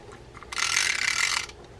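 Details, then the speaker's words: Older spinning fishing reel cranked by hand gives about a second of rough, rasping, ratchety grinding under the rotor. The main gear and oscillation seem fine, so the fault is suspected up top in the spool/rotor area, possibly the pinion or bearings; unconfirmed. "my guess though is it's up top in the spool seems like the the main gear is working fine the oscillation is going up and down it's just a horrible noise underneath here"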